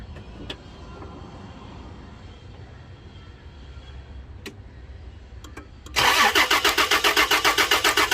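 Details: Toyota Land Cruiser crank-no-start, fuel pump being tested: quiet, then starter churns evenly near four per second and the engine never catches; cause suspected, not confirmed.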